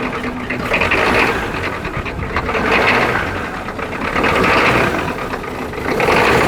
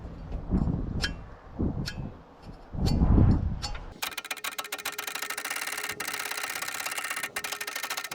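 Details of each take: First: Freed turbo Ford 6.9 IDI diesel, with solenoid powered, fuel at every cylinder and injectors tightened. First start on starting fluid: rough clatter swelling and fading every couple of seconds; it fires and barely holds, briefly running on its own fuel. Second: Long-dormant, rust-seized turbo Ford 6.9 IDI diesel soaked with penetrating oil and turned on the starter. Heavy, uneven thumps as it is forced over, then a quick, even churn; it is starting to free up.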